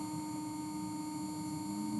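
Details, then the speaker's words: Electric nail drill stepped up through speed settings to its maximum of 30: steady high-pitched whir holding an even tone with a faint rising note at the end, spinning at full speed. "Say 20. 25. 30. That's the max this goes."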